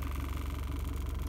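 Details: 2006 Toyota Prado 120 diesel, 5-speed auto, just under 200,000 km, owner thinks it's noisy: warm idle with even regular low pulse, no rattle or miss; injection volume just over 7, feedback values good, injectors healthy.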